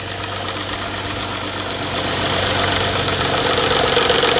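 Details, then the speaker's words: Car at about 115,000 miles, cold start: fast regular light tapping up top, about four taps a second, that suddenly stops; suspected cam phaser spring mechanism, not valvetrain tick, not confirmed. "y hear that ladies and gentlemen that is not a valve train ticket noise yes it sound like it's right here look see how it just stopped all of a sudden it just stopped because the cam phaser the spring mechanism inside the phaser likely caught up with itself"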